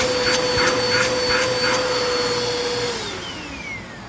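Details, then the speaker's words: Bissell PowerForce Compact Turbo vacuum after service, reassembled with attachments: smooth, steady high-pitched motor whine with even airflow, then winds down when switched off; sounds much better than before. "Well, that sounds a lot better than it did."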